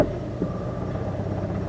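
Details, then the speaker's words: 2009 Scion xA with no power, idling in gear with headlights on: rough, uneven stumbling idle from an engine misfire, with flickering battery light and check engine light that then starts flashing. "definitely a misfiring and we have a battery light surprise we don't have a flashing check engine light"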